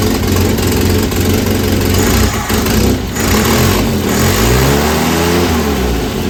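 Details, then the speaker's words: 1967 Volvo Amazon (122), revived after 35 years abandoned, after new motor mounts and exhaust work: rough, loud idle rising into revs with a harsh puffing rasp; exhaust manifold leak, welding it shut being considered. "all that noise is coming out of the exhaust manifold"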